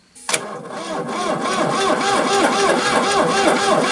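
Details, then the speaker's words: Ford New Holland LX865 skid steer, 65 hp turbocharged three-cylinder diesel, fuel contaminated; even cranking at about four turns a second with injectors one to three cracked open for bleeding, never catching; poor fuel delivery, injection pump suspected. "might have to bleed the injectors after all i'ma try bleeding injectors injectors one two and three are all loose"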